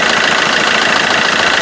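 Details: Vauxhall Corsa D 1.3 CDTI diesel after replacing the faulty alternator pulley: even diesel clatter at steady idle with no belt flutter or rattle; auxiliary belt drive now quiet and healthy.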